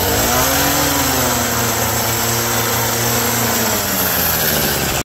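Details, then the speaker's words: Abandoned roadside two-stroke hedge trimmer, revived with parts on hand (crusty fuel lines, disintegrating air filter addressed, mixture screws to be set with filter in), cutting a hedge: high buzzy wail holding steady, a little rough and shaky, vibrates a lot, dull blades, but pulling fine. "Well, it's noisy, it smells like a two-stroke, it vibrates a lot, it's a little dull, but you know, it's nice not having a cord behind it like my electric one."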